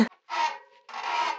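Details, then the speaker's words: Bicycle disc brake pads and rotors never bedded in: two drawn-out honking squawks with a raspy edge and a steady mid-pitched note each time the wheel is braked, before sanding, cleaning and burning in. "why are we doing this well nobody likes it when their brakes are making wild turkey noises"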